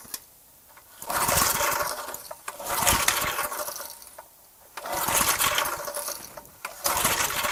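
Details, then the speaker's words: Garage-sale gas edger after carburetor cleaning and refitting, choke on: repeated pull-start bursts, each a short whirring spin that dies without firing. The fuel-air mixture screw was all the way in; backing it out about 1.5 turns got it running. "Took a little while. That fuel air mixture screw, it was just all the way in. So I backed that out."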